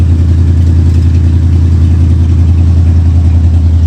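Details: 1979 Lincoln V8 just after an oil change, old stale gas run through, air cleaner refitted, started in garage; deep, even rumble holding constant beat, no stumbles, taps or surging; hardly smoky, idles cleanly.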